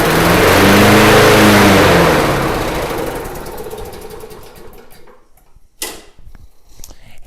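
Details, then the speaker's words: Snapper mower with a leaking fuel tank, carburetor still to be inspected: catches after a slow crank, runs a couple of seconds with a steady putter, then winds down; sounds okay, normal running. "Yeah, it started. Okay, kind of took a second, but once it fired up, it sounded okay."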